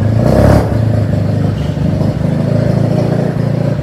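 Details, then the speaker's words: Mazda FC3S rotary being rebuilt, idling after the exhaust muffler was fitted (previously run without one): low, steady burble with a fast, even pulse and no misses, through a quieter exhaust. Smooth idle. "Okey, exhaust dah siap. Jom kita dengar bunyi dia. Itu hari tak ada exhaust weh."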